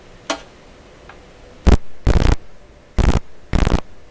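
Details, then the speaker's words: FM radio speaker with volume down, making noise when voltmeter lead touched MS15c signal generator: four loud buzzing hum bursts cutting off sharply, suggesting large AC present, probably stray mains pickup; cause unknown. "When I contacted the signal generator with my voltmeter lead, that speaker started making funny sounds."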